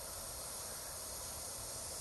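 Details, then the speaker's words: Truck boost leak test with the engine off, system pressurized to about 15 psi: a steady airy hiss from a loose intercooler boost boot, compared against normal foaming at a good boot. "okay see that okay so if you start to hear something like that you got bad stuff going on where you you hear that"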